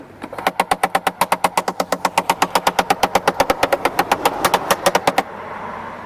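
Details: Mercedes E-Class convertible electric boot divider, before repair: rapid even sharp clicks, about a hundred a minute for five seconds, then stop; motor slip clutch ratcheting.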